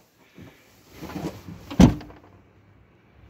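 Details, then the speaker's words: 2015 Kia Sportage SL tailgate opened and closed: light clicking, heavy slam, then brief loose rattle from loose debris pieces that had fallen inside the tailgate. "spor taş 2015 model arka bagaj kapağını açtığında kapattığında hep böyle bir Tıkırtı bir ses geliyordu"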